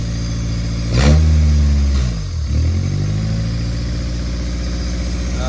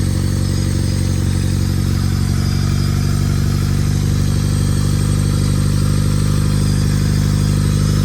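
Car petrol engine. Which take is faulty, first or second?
first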